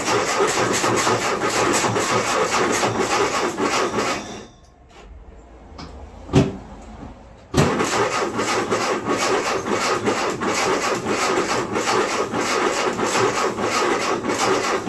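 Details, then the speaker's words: Ford M151A2 MUTT with a 141.5 cu in engine, stored 20 years, plugs reinstalled and gas primed in the carburetor: steady rhythmic cranking, about 2.5 turns per second, with no catch. Cylinder 1 compression is about 90. "Well, she just don't want to start right now."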